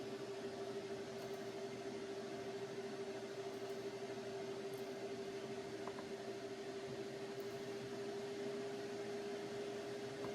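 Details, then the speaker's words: PC running CPU miner instances at 58% memory, opening 100 more: steady airy whir with constant mid-pitched whine in a quiet room as the fan speed picks up; CPU fan spinning hard under heavy processor load. "Yeah, the fan speed is really picking up."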